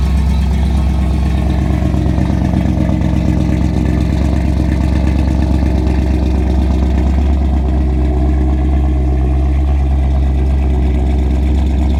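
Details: Ford 460 big-block V8 on a newly fitted FiTech fuel injection with an inline pump, about 30 miles on the system, started cold. Low, heavy, even rumble with no misfire, stumble or tapping; a normal cold idle.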